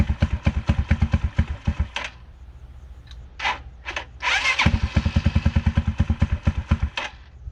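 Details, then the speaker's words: 2010 Dongfeng DF250RTB 250cc single-cylinder air-cooled motorcycle, sat 10 years, revived: catches in quick even thumps, stumbles and dies once, then fires back into a steady fast putter while warming up; idle needs slight adjustment; starts and idles normally. "there we go now it's warming up"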